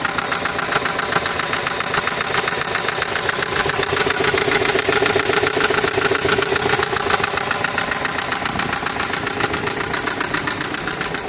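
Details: 2002 Nissan Maxima idling with a loud, sharp, steady engine knock, roughly two to three hits a second.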